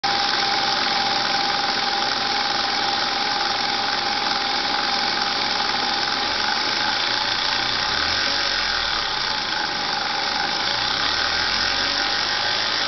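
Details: Lexus IS300 at idle: hissy, buzzy top with an irregular ticking riding over it from the engine bay; odd noise, source not pinned down.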